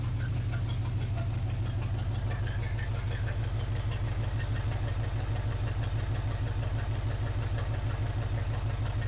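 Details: 1980 Chevrolet C10 Cheyenne square-body, first start, open exhaust: loud deep even idle about three pulses a second, firing on all cylinders; oil pressure finally built up.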